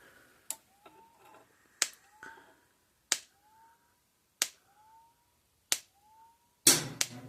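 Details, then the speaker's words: Repaired Gallagher M1800 fence charger (energizer), output probably around 7,000–10,000 volts: sharp single clicks about every 1.3 s in a quiet room, each click is when it fires; normal energizer pulse clicking. "and it only shocks whenever that it's clicking every time it clicks is when it fires"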